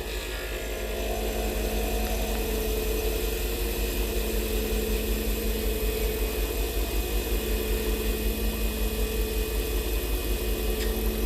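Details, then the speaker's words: Pen-making lathe turning acrylic at just over 3,100 RPM: steady, even hum with a clean, continuous cutting hiss and no chatter or grabbing; a good, smooth cut at correct speed and pressure. "good cut. And you can continue to do that until you reach your desired diameter."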